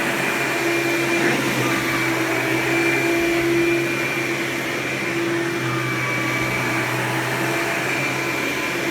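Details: Hoover Power Drive Supreme U6318-930 upright vacuum, made June 1998, 120 V 7.8 A: loud even motor scream at one steady pitch, no surging, rattling or scraping; normal running.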